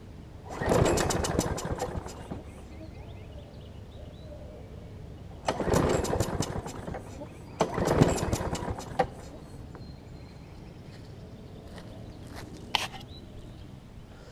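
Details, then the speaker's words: John Deere JS35 mower, suspected sheared flywheel key and spark plug sparking: three pull-starts each sputter a second or two and die, owner suspects it isn't getting fuel; engine starts then dies, faulty carburetor. "because it sounds like it really wants to get gas but it's not at least I don't think it is"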